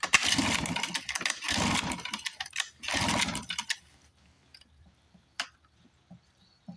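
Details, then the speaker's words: 1954 Johnson 5.5 HP outboard, probably not run since the 1960s, first start after magneto reinstall and carburetor rebuild, on choke. Sharp, raspy two-stroke buzz catches in uneven bursts, runs a few seconds then dies. Normal running. "Oh man, take that you mosquitoes. What do you think? Probably not run since the 60s."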